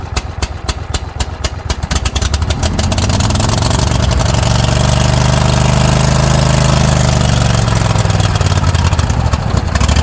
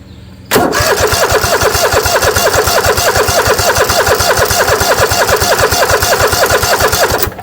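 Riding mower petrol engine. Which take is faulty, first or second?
second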